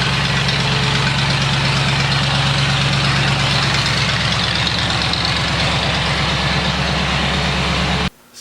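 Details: 1979 Lincoln Continental Mark V Bill Blass edition, about 49,000 original miles, cold start after sitting 8 years on a new AGM battery: loud steady V8 idle with an even pulsing lope for eight seconds before cutting off; healthy cold start.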